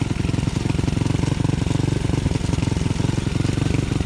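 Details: Honda CT70 after engine swap: choppy, uneven thumping at fast idle with irregular lurching beats; rough running, carburetor too small for the engine, bigger jets thought needed.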